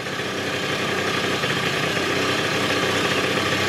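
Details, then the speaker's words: 1996 Rexy 50 two-stroke scooter, barn find, first start after 13 years, running on tank fuel about 10–15 minutes: steady, even buzz with no misses or surges, idling cleanly; normal idle. "bisschen laufen gucken an der ist jetzt so 10 Minuten viertelstund gelaufen soweit passt al er läuft"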